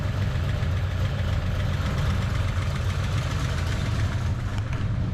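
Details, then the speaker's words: Foxbody Mustang V8 on factory computer, hood open, idle: light, fast lifter clacking over a steady burble; mild hydraulic lifter tick not considered too noisy, to be double-checked. "You can hear a little bit of the clacking from the lifters in there."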